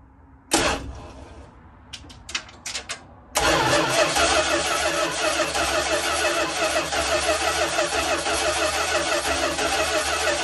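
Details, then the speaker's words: 1972 Dodge Tradesman camper van, abandoned in a field for 10 years, hot-wired with new battery, starter relay, voltage regulator and ballast resistor: clicks, then steady cranking at about three turns a second that never catches; no fuel reaching the filter. "all right so after cranking and cranking and cranking it cranks a lot but it just wouldn't start um i wasn't getting any fuel"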